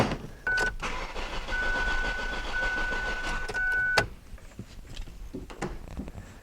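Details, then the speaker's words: 2002 Ford Focus cranking no-start with a fuel pressure gauge hooked up and no fuel coming from the line. The starter cranks steadily for about three seconds with no firing, and the gauge does not budge: no fuel pressure, with the fuel pump suspected. "okay that should show up let me go ahead and just crank this engine over and confirm there's no fuel pressure"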